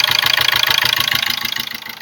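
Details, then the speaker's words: 2005 Ford Ranger diesel at idle after start: fast regular "tu tu tu" puffing chuff, about fifteen beats a second, heard at the air filter; intake valve leaking back through the intake. "vocês estão escutando tu tu tu e olha o batidinho que tá dando em"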